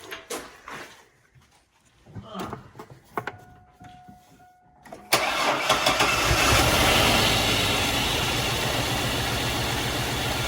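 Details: Chevrolet S10 pickup off the road since 2019 (not run in 5 years), after a fuel tank swap and clearing a mouse nest from the valve cover: it cranks, catches at once and settles into a steady, even idle with no stumble or knock.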